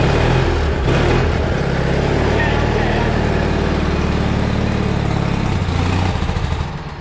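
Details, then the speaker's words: Retired lawnmower being revived for racing, first crank test: deep, loud, uneven single-cylinder thump settles into a steady run after cranking; engine starts and keeps running. "So, that one runs. Hell yeah."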